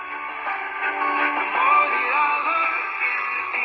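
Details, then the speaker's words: Mid-60s Panasonic R1326 AM 8-transistor 9-volt radio after repairing the open volume control: clear, loud music with no crackle, hiss or distortion; audio now normal. "And it's got great audio. I mean, it'll blow your eardrums out."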